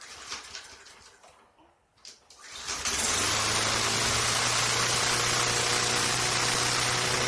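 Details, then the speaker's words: 2003 Craftsman M110 mower (11A-A2T2793), no primer bulb or choke, after seasonal service with refurbished spark plug; first cold start of season catches on 2 pulls, smooth, no surging or missing; normal. "2 pulls. Sounds good. Smooth. No surging or missing."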